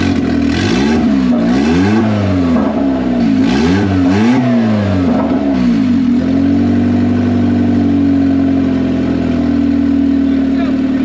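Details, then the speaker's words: $500 Honda Civic (manual swap, Hondata) on first start after a T04E turbo build, open upward downpipe: it catches straight away and revs climb and fall cleanly a few times, then it settles to a steady even idle, running well. "goody actually ran really good guys I'm super happy with it"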